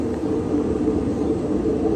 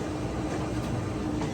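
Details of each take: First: Older Whirlpool Cabrio WTW6200VW0 top-load washer with floating drum and stator drive, before repair: constant deep roar and droning hum as the drum spins in the spin cycle. Worn tub bearings, fixed by replacing bearings, shaft and tub seal. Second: Older Whirlpool Cabrio WTW6200VW0 top-load washer, floating drum with stator drive, in spin after replacing shaft, bearings and tub seal; only a low soft hum with no roar; normal spin after repair.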